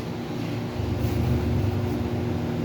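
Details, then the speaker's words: Mabe microwave oven that powers on but does not heat, 10-second test with water; constant coarse low buzzing hum rising slightly as magnetron and transformer engage, fault suspected in secondary side. Shorted magnetron hum. "Bueno amigos, aquí miren, en este horno de microondas que no calienta, se escucha cuando entra el magnetrón y el transformador."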